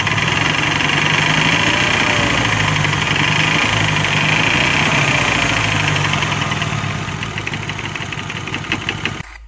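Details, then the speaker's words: BMW 116i (F20, N13) petrol engine idling warm with steady rapid knock, absent when cold, no power loss; oil pan removal found a cracked crankshaft, replaced with new bearings: engine knock from cracked crankshaft. "all right guys so you heard the knock it used to knock only when the engine's warm when it was cold it used to be fine"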